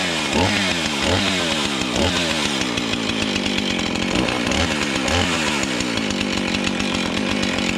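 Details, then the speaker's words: Junk-pile Husqvarna 445 XTorq chainsaw, reassembled from pieces with glued leaking fuel tank, coil found good: crisp clean two-stroke scream dipping and recovering as the chain bites wood; normal running and cutting. "Apparently when I put the drill on it, it didn't spin the engine fast enough, and once I put the pull cord on it, she sparked, and she fires and runs."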